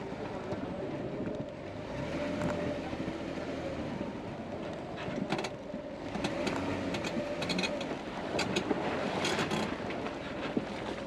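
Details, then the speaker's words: Jeep driving off-trail with broken front axle shaft: sharp irregular pops and cracks over low rumble, GoPro on winch; owner suspects u-joint tabs popping, unconfirmed. "right now all this popping and cracking is is the the tabs as the you know as a u-joint when"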